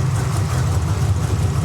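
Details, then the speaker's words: Carbureted drag car after backing the adjustment off during carb tuning: steady low burble with an even pulse, no stumble or misses; smooth settled idle. "You just want to back it off a little bit, and now you're good to go."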